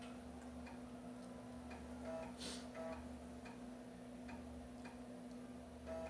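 Soft, regular ticks with short buzzy head steps every half second or so over a faint hum: a floppy drive reading normally.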